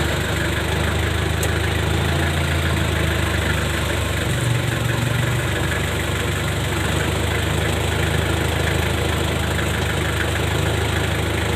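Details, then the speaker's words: A pickup that had underbody noise when pulling away in first gear now has a steady, even low hum with no knocks or clunks. This follows replacing the worn propshaft center bearing and U-joint. "โอเคครับผมก็เรียบร้อยครับผมเสียงดังหายเงียบเลยครับไม่มีเสียงไม่มีอะไรนะครับ"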